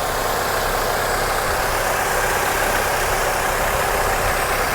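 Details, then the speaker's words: GM Ecotec engine in a low-value Copart salvage car with a scraped front bumper and dented hood, idling: a steady, even hum under hiss with no misses or knocks. It runs like a champ and needs no mechanical fix. "your little Ecotec it's running like a champ robbing like a champ so this is one you don't even have to fix"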